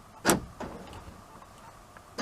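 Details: Buick Rendezvous power door locks cycling from a newly programmed keyless entry remote: two quick sharp clunks about two seconds apart with a faint thump between; normal lock operation.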